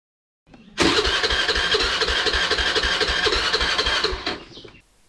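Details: Honda Dio scooter with a starting problem; the starter cranks with even pulses about four a second for several seconds and the engine never fires; no start due to poor spark plug cap contact.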